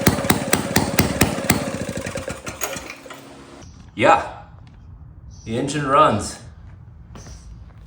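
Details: 1937 Maytag Model 92 single-cylinder two-stroke engine, primed, fuel setting switched to open: sharp, even firing pops roughly four per second, then it dies away; engine fires and runs normally.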